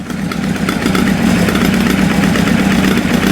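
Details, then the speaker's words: Triumph motorcycle, first start after sitting a long time, not cold: uneven, lumpy idle with an irregular beat as revs climb slightly; one cylinder not firing, exhaust cool to touch, running on three. "one of them sounds like it's not firing right that one but that sounds terrible in the microphone that one's not firing right yeah i can hold the exhaust that's not firing"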